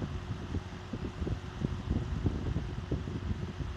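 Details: Restored vintage Emerson box fan, freshly oiled and reassembled, started on high then low: soft, steady whoosh of air with low motor hum, no rattle, scrape or ticking; running smoothly.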